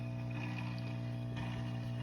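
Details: Top Fin Indulge 3-gallon aquarium, under a month old, gurgling two nights running: steady low hum with a watery bubbling trickle from the filter; cleaning the filter didn't help, cause unclear.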